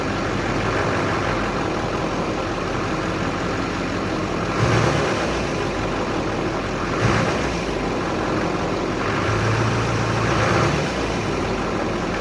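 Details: 2006 Chevy Silverado 2500HD Duramax LBZ diesel with 194K-mile injectors, first start after upper engine and injector cleaning and reconnecting hoses: settles into a steady, even idle with a few clean rev blips, no misses or knocks; running healthy.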